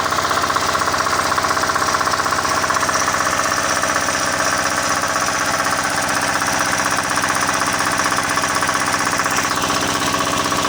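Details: Diesel engine that would not start, after the injector pump and nozzle were refitted and fuel lines bled; now runs with an even, steady clatter at a constant fast beat, no misses or surging, normal running.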